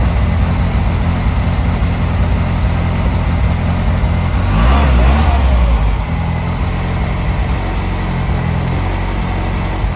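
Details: R56 Mini with big turbo, after subframe work and fault investigation: smooth, even idle with one brief rev blip that settles straight back; runs cleanly with no misfire or ticking.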